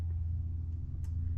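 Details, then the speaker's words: Honda S2000 project car, just started and not yet warmed up; the owner is unsure if it is cammed. A short stretch of deep, steady idle with a slight lope, no knocks or misfires. The engine sounds healthy. "engine sounds pretty good i don't know if it's cammed or not but it sure as heck sounds like it"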